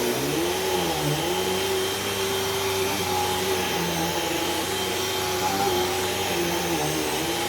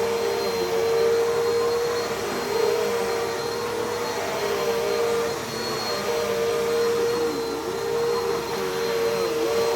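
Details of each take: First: Brand-new Hoover cyclonic vacuum with rewind cord: steady motor roar with a faint wavering squeak; drive belt squealed a little, slight slip, may need changing but shouldn't be too bad. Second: Never-used Bissell CleanView with 8 amp motor, fingertip power switch, genuine Bissell belt: steady fairly high even whine over soft airflow; quiet but whinier than the other CleanView, belt surprisingly not stretched, normal running.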